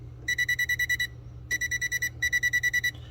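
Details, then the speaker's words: Non-contact voltage tester held on the wires at a 40 amp double-pole breaker feeding an air compressor, after the switch was turned on: rapid bursts of high-pitched beeps, about three per second, in repeated runs; live voltage detected. "Let's see if we get some power in the lines. Ooh. Ooh, that's a lot of power. That's a lot of power running"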